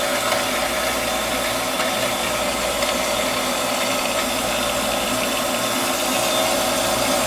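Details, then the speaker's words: Half-horsepower shallow well pump on a two-inch well with a 40-gallon galvanized tank, after repair (capacitor, start switch, pressure switch replaced, waterlogged tank fixed): even motor and water hum, no surging or knocking; normal cycle just over 30 seconds. "all right so here's the cycle time on this half horsepower shallow well pump on a flow wheel with a 40 gallon standard where the SEC 3560 comes along as well"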